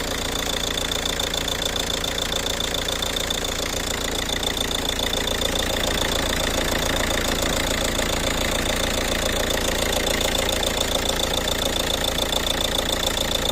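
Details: Ford Kuga idling: sharp even tapping about three or four times a second over the engine note; engine knocking at idle, cause unknown.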